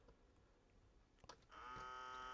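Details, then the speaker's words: Sony CMT-MD1 micro system bought untested, top-loading CD lid button pressed; after a click a small motor whines steadily with no lid movement or clunk, motor spinning because the CD loading belt is missing. "Oh, yeah. It's just the motor spinning. I would assume that's supposed to flip up."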